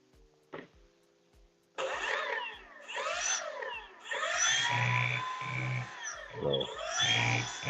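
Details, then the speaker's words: 105mm Change Sun EDF fan from a foam RC jet, on a 6-cell battery, tested on a table: whine sweeping with throttle and coarse low buzz at speed; rotor way out of balance, with nicks. "you'll hear all that buzzing it is way out [Music] the table is part of the tool so that you can hear the extra vibration"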